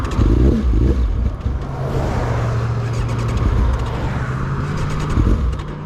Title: 1999 ZX9 dying, bad fuel pump?